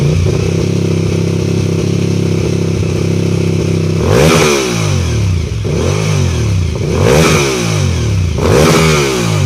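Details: Suzuki TL1000R V-twin idling then revved several times, sharp ticking clatter over the engine note; owner suspects bad exhaust leak, not confirmed.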